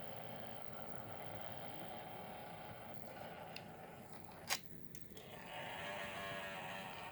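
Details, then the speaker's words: Taito F3 arcade board original small cooling fan, notoriously noisy, before replacement with a 25x25x10mm fan: thin steady grinding rasp over quiet hum, no rhythm; worn dry fan bearing. "This is the old fan and all its grindiness."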